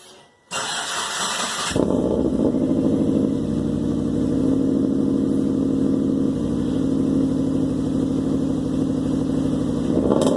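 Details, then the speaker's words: Subaru Forester after a junkyard-style exhaust rebuild: the engine cranks briefly, then settles into a steady, even idle with no audible exhaust leak; a few very small holes were found later. "sounds pretty good so far I don't hear any exhaust leaks but I got a roll underneath and make sure there is no exhaust leaks"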